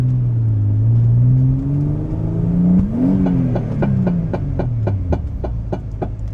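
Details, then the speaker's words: Turbo V6 Vauxhall Adam VXR built for 500 hp, custom driveshafts, while running in and bedding the clutch, not at full power: engine pulls, sharp crack, revs flare and fade with clicking about four a second, all drive lost; shaft snapped just beside the weld. "That sounded like we snapped a drive shaft. We've lost all drive. We've lost drive."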